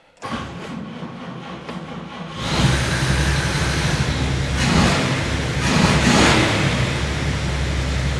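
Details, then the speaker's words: 1952 Chevy Styleline Deluxe with Rochester carb, after freeing a stuck needle that caused a leak: a couple of seconds of uneven cranking, then it catches and runs steadily. Normal engine start. "runs quite well when it runs"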